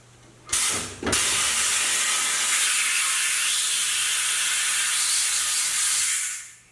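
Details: Katool KT-T800 tire changer clamp dogs actuated by foot lever: short clack, sharp air release and steady hiss about five seconds then cutoff; pneumatic clamps working normally.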